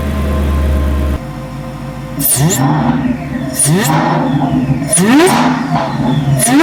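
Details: Lumpy idle then four sharp revs of Whipple Stage 3 supercharged V8 Super Snake, briefly warmed, after installing Whipple carbon fiber intake and larger air filter boxes: clean rising whine over deep rumble, louder than before; normal, healthy supercharger.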